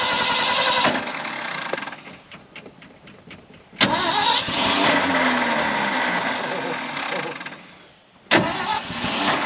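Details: 1974 Ford F600 dump truck sitting two years, choke pulled: starter churns steadily for several seconds, engine briefly catches and fades, then cranks again; a hard-starting engine.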